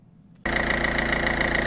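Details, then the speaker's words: Peugeot 207 1.5 HDI diesel after replacing leaking injector seal: catches and settles into steady even idle with clean regular beat, the ticking chuff gone; repair successful. "on l'entend plus le petit cheat. Je sais pas si on entendra bien sur la vidéo mais en tout cas voilà la réparation est faite hein."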